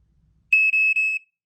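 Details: Flame Buster SMKD SLM3 battery smoke alarm with low battery, test: piercing high-pitched tone under a second, dipping twice briefly; normal test signal.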